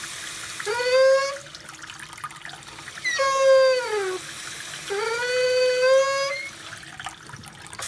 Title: Kitchen Faucet squeaking noise or pitched noise